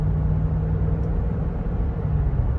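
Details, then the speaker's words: Flood-damaged Cadillac DeVille with 59,000 miles, on its first drive. Under gentle acceleration the automatic shifts from first to second with no thump, flare or slip over a steady drone. Normal upshift. "First drive, here we go. Oh, smooth as butter. First to second, smooth as butter."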